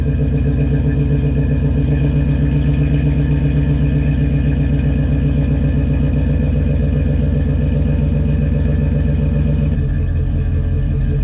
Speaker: I'm gonna set the tripod up so you guys can actually hear this thing start up, because it's a beast. It's a 4.7 V8. These things sound really cool.